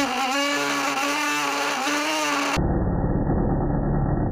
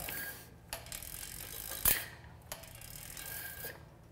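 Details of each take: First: here we can see the caliper actually vibrating back and forth as the rim rolls forward much like the string of a violin resonates when the bow moves across it Second: Bicycle rim brake after toeing in the pads, front edge striking first: soft freehub ratcheting and light clicks while braking, no squeal.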